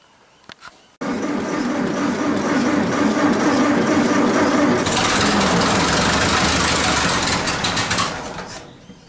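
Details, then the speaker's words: 1947 Nuffield grader, parked about 20 years, freshly fuelled: engine catches on the first crank and settles into a steady, even running beat with no knocks or misses. "wow we've had some life that was easier than we suspected 20 plus years and she's she's into life"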